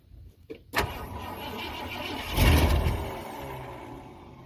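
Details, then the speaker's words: 1971 Ford F100 V8 right after a new starter solenoid was fitted. Brief crank, then it catches and swells into a quiet, even idle; the exhaust smells like it has been plugged up. Normal start and idle. "Alright. Well, that was easier than I thought. Pretty quiet. Smells like the exhaust has been plugged up."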